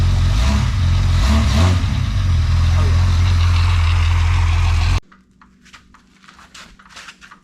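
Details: Freshly built Jeep 4.0 inline-six from a ZJ Grand Cherokee, converted to a 00-01 XJ coil-pack engine, on an engine stand with a muffler fitted: deep, steady, even rumble for several seconds, then cuts off; sounds healthy.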